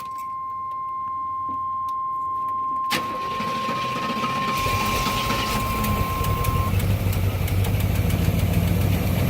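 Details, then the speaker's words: 1989 Avanti convertible started after replacing the temperature sensor and idle control valve, with cleaner sprayed; thermostat swapped from 195 to 180. Catches after a few seconds, then uneven, lumpy idle; owner suspects the cleaner caused the rough running. "she's running rough that might be because I had some of that cleaner"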